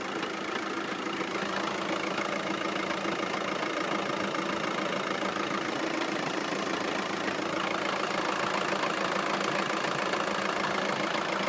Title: Dual mass flywheel/clutch ticking/ knocking noise. Time to replace with solid conversion kit? Audi